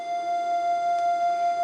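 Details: Homebrew 80m/40m SSB/CW receiver: its CW tone, meant to be 700 Hz, is played against a 700 Hz phone audio generator and swells and fades about four times a second, a slight beat showing it is about 5 Hz off.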